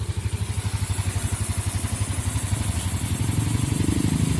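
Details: Yamaha Mio Sporty scooter running: an even low putter at about four beats per second that picks up smoothly toward the end, clean and steady, in a fix for stalling caused by an intake manifold hose pulling loose.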